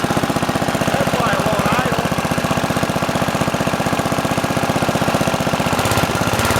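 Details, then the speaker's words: Simplicity 7010 lawn tractor, single-cylinder engine just restarted after head removal and spark plug replacement (old plug sparked intermittently): steady thump about four a second, loud raw popping exhaust; exhaust leaking through rotted muffler, needs replacing. "Yeah, I'm gonna have to replace that muffler."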